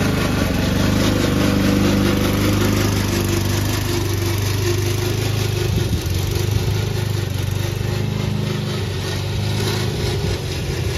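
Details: Old Toro Recycler mower cutting Kentucky bluegrass, binaural recording, before fix: steady engine with an uneven clattering rattle on top from the drive system; the noise was later solved with WD40.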